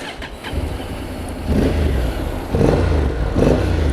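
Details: 2019 Honda NC750X DCT 750 twin; steady low twin-cylinder rumble with a couple of gentle rises in revs and no knocks or rattles, the engine sounds healthy.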